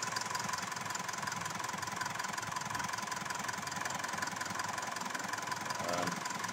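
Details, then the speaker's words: Mitsubishi Montero Sport diesel just started after an overhaul for black smoke and misfire/vibration: even clatter at a smooth, steady idle with no misses or heavy knock; runs well, smoke gone, to be broken in under 60. "sige okay na siya so napakanda na ng andar so ito Guys kailangan nating i-maintain lang natin yung speed"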